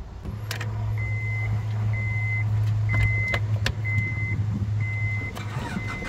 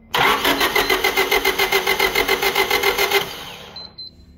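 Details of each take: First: Honda van with 250,000 miles, dealer-serviced Honda battery and a new-looking starter: it starts and holds a steady, low, even idle with no knocks or misses while a door chime beeps. The engine sounds healthy. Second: Used Honda being checked for resale, starter jumped via gator clip: even cranking chugs about three or four a second, never fires; sounds like good compression but no spark despite replaced distributor; crank no start.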